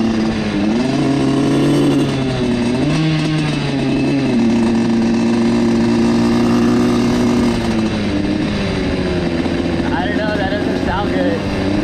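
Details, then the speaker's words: Single-cylinder dirt bike after wheelie attempts: revs unevenly, pitch sagging and surging instead of holding steady; rider unsure if it got too hot, suspects carburetor problems, unconfirmed. "all right i do not know what's going on but that hasn't happened to me before i don't know if it was the willys i don't know if i got it too hot"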